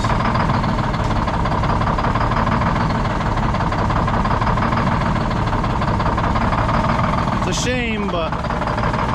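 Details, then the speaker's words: Old Detroit Diesel 6-71 two-stroke, last run before removal: rough, lumpy idle with a steady skip and heavy shaking; one cylinder not firing, raw fuel dumped out the exhaust. "all that raw fuel getting dumped out of the exhaust from that cylinder that's not firing"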